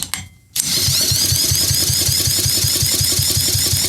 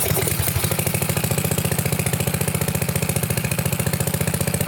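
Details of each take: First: Craftsman pressure washer with a 6.5 hp Briggs OHV engine, water cleared from the cylinder, fuel mix poured into the plug hole, plug worn out, throttle wide open. After the pull it chugs and pops roughly but won't run. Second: Sears Craftsman pressure washer, 6.5 hp Briggs OHV, water ejected from cylinder, started on choke at mid throttle on a temporary test fuel setup; small single catches and settles into a steady, even putter with no misses; normal running.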